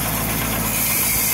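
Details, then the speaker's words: Jacobsen/Toro reel mower backlapping with reels engaged in reverse, compound applied, engine throttle adjusted, reels adjusted for more bedknife contact: steady engine with even hissing, scraping rush from spinning reels; normal light reel-to-bedknife contact. "now i got nice contact when i start this up this reel is going to be screaming but it's not too tight but it's enough contact to get those blades nicely backlapped"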